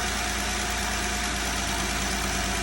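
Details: 2020 Jeep Gladiator idling after repair for a top-end tick; steady smooth hum with no ticking left. Belt noise normally fades after idling; owner suspects slight water pump drip. Normal idle.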